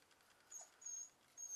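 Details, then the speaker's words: Old Packard motor, about 50 years old by owner's guess, cold start: quiet run with low vibration and a thin high chirp repeating about every 0.8 seconds; long-standing chirping noise, source never identified. "I have never figured out what that sound is it's been doing that for as long as I can know"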